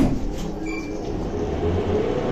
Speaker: And in the next building, the lift has got very loud knackered bearings on the motor. So this lift might have a Zinder motor. It sounds a bit like it, really bad bearing